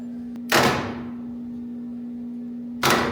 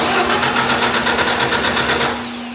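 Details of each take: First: Large wood chipper engine, starter solenoid fed power directly: short bursts of sluggish, uneven cranking around two or three turns a second that never catch; owner suspects not enough battery voltage and moves to a starting charger. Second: Large wood chipper engine on a starting charger after suspected weak-battery cranking: starter spins the engine briskly with even rapid chuffing for two seconds, then stops; it turns over normally with enough voltage.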